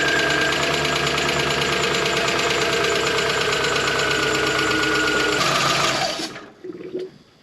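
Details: 2005 Volkswagen Beetle after front-end rebuild, first crank on battery pack: starter churns about four beats a second for six seconds without catching, cranks but won't start; owner guesses the battery needs installing.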